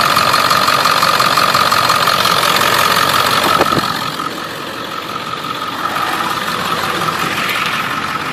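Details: Ford 7.3 Powerstroke diesel idling with quick steady tapping/tick about three per second from an up-pipe exhaust leak.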